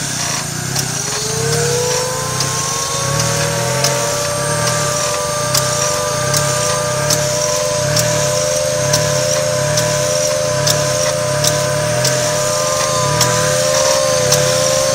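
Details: 1995 Mazda MX-3 idling: a sharp click roughly once a second, each one dropping the idle sharply before it jumps back to about 1,000 rpm, with a slight rattle. Owner suspects the AC; cause not confirmed.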